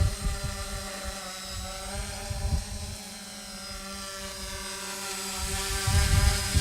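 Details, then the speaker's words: Smaller quadcopter with NAZA Lite flight controller, flown in front of camera in slight breeze: steady even rotor buzz at one pitch, no surging or wavering; stable, healthy hover. "really stable and again this is the nozzle light it's uh half the cost of the v2 but it works great"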